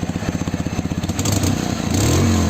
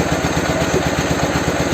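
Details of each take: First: Dnepr motorcycle with a swapped-in Ural engine and "bomba" muffler: even, deep pulses about four a second, then clean revving to a steady drone. The exhaust note is judged pleasant and healthy. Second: Soviet Ural/Dnepr boxer twin motorcycle after an engine replacement, with a 'bomba' muffler, during carburetor idle adjustment: lumpy, uneven thumping at a raised idle, firing on just one side, running on a single cylinder.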